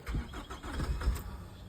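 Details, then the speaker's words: 2006 Nissan Altima with cylinder 4 misfire code and good battery voltage: short quiet starter churn with a hint of catching but no firing; crank no start, misfire traced to ignition coil poorly contacting its connector. "and almost seemed like it wanted to start there. Let's go ahead. Okay. So yeah, as the customer stated, it won't start."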